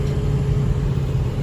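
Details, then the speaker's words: 2005 Ford F-450 dump truck, 6.0 Power Stroke diesel, cruising at 56-57 mph after repair of skipping and low power, fuel pump believed the cause: deep steady drone under road rumble, no misses, knocks or surges; normal cruising. "there's 56 57 mile an hour in a dump truck so I think that's pretty decent I'd say the fuel pump was the issue on that guys"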